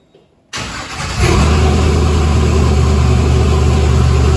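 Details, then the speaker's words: 1962 Chevy C10 with LS swap, early start with wiring and digital gauges unfinished: catches and settles into lumpy, wavering idle; runs inconsistently, owner suspects a screw adjustment; cause not confirmed. "that's what I'm talking about with that screw sometimes this thing wants to run good sometimes it"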